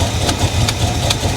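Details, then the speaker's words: V8 at idle, fuel leaking from a carburetor throttle blade seal onto the intake: lumpy idle with a sharp hissy tick about every 0.4 seconds; possibly a vacuum leak, unconfirmed. "you can see it leaking right there onto the intake yeah not quite sure what that noise is"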